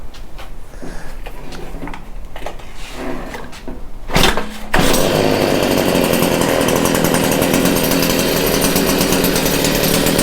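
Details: Stihl hedge trimmer, small two-stroke, started on choke after a few pulls with the grimy spark arrestor refitted: muffled, strained steady buzz. Plugged spark arrestor suspected as the problem.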